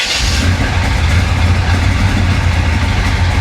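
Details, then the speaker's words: 1966 Chevrolet Impala 427, hurricane-flooded, after cold start, low oil pressure reading on questionable gauge; deep loud lumpy unsteady rumble at idle; rough idle, engine keeps stalling. "she's going to die again yeah she's going to die gotcha you will not stay running it never stays running"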